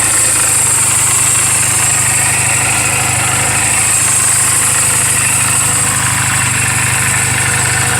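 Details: 2007 Honda Rebel 250 single at 11,456 miles, idling in neutral just after a valve clearance adjustment: an even, steady idle with a smooth exhaust pulse and no top-end ticking or knock. Sounds healthy.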